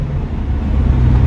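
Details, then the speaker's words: Mercedes-AMG GT Black Series in Comfort mode on the drive home from the Nürburgring, after an earlier unexplained no-fuel breakdown: deep even engine note pulling away smoothly with no stumble. Normal for now, but soon after it skips, cuts out and won't restart. "That's pulling away normally. What mode are you in? Comfort at the minute. That's now driving normally."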